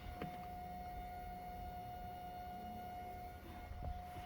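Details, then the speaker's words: VW Golf 7 2.0 TDI 2015 (CRLB engine), after valve cover 03L103469S replacement: fuel pump check run via VCDS basic settings before starting; steady even electric hum with faint high whine, no ticking or rattle; fuel pump running normally. "On attend contrôle de la pompe de carburant. Et voilà, on entend qu'il fonctionne"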